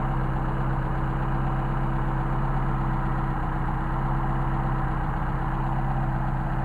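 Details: 190SL with Solex carbs, warm, tachometer reading about 965 rpm: steady, even low throb with no misses, knocks or hunting. A healthy idle and a great running set of carbs.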